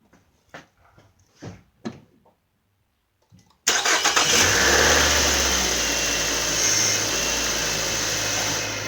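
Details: 2009 Nissan Altima 2.5 after power steering pressure hose replacement, system overfilled and being bled: quiet clicks, then engine catches into a steady even idle with no whine or groan from steering pump; hose dry, normal.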